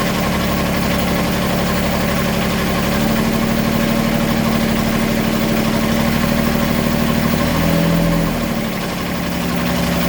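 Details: Beta 25 hp marine diesel at 700 hours, idling: loose, uneven knock about three times a second over its chug; cause not clear.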